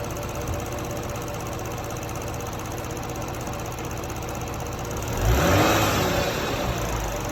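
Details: Toyota Crown 200-series 3.5 Athlete, recently bought, 65,000 km, oil changed every 3,000 km: steady engine run with a light dry rattle and a faint high whine that swells briefly with a blip. Engine rattle and whine; source not pinned down.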